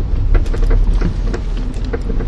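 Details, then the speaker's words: Kia Picanto at full steering lock: a string of sharp clicks over low rumble, clearly heard turning left and also turning right, so the side can't be told; worn outer CV joint clicking on turns, due for replacement. "вот как раз таки налево он очень хорошо слышно ну а если направо как заднюю на правоту вот он налево хорошо слышно"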